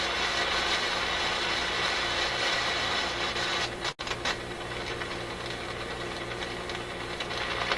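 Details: RCA Victor A24 vacuum tube radio during shortwave alignment: a rough, scratchy hiss cuts out sharply, then returns crackling. This is an intermittent fault in the radio, seemingly not physical. The owner suspects a switch contact, a tube or a capacitor; cause unconfirmed.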